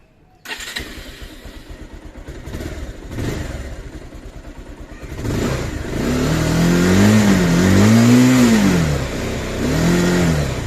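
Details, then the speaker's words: Bajaj Pulsar 220F after fitting washers and nuts to stop vibration felt at 4000-5000 rpm: starts cleanly and revs up and down through 4000-5000 rpm smoothly, no fairing buzz or rattle; vibration fixed. "இப்போ நான் வந்து 4000-5000 முறுக்கிறேன் பாருங்கள். Vibration இல்லை."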